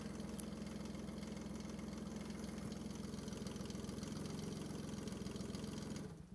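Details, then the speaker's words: Kubota D600 diesel swapped into a Case 220 mower tractor, run with no coolant or radiator fitted and hydraulics looped: steady, even diesel clatter at about 3.5 beats per second until shut off; healthy idle. "no coolant in it no radiator but I couldn't resist just firing up just to hear it run again"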